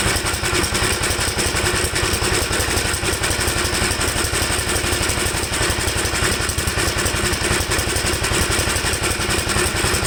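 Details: 1954 Gravely single-cylinder tractor after carburetor cleaning, on choke: coarse, clattery, uneven beat never settling to a clean idle; owner says it seems to run rich and stalls when leaned, cause unconfirmed.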